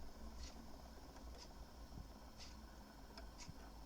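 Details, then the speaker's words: HMV 102 gramophone spring motor at 78 rpm, after repair of a whistle and readjustment on the deck, running almost silently with a faint low hum under a wall clock's ticking. "Да значит и Нормально Тихо очень работает практически не слышно вот пожалуйста оборотов 78"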